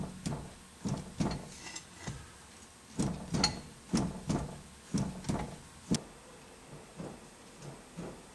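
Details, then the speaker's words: Strut suspension, wheel jacked up and levered with a pry bar under the tire: hollow metallic clunks, often in pairs, about one a second, from a loose worn lower ball joint under wheel and spindle weight. "can actually hear the clunking. And the reason that is because you got the weight of the tire, the weight of the spindle, and everything resting on that spindle."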